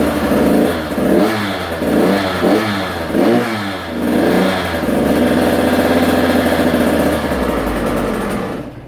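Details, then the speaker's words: Husqvarna TC85 two-stroke, first start after a full rebuild with new crankshaft, piston and bearings: a crisp ringing buzz climbing and falling with throttle blips, then a steady fast idle. It runs clean and even, smoking heavily from two-stroke oil on the crank. "Well, she's running. Let me open up the shop door here and turn on a fan, and yeah, look at all that smoke."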